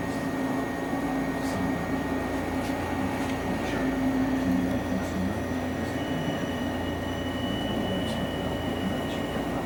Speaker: esse barulhinho que vocês estão ouvindo aqui ó é insuportável Isso é o que eu chamo do verdadeiro filme de sacanagem né sacanagem você ter um trem desse passando na porta da tua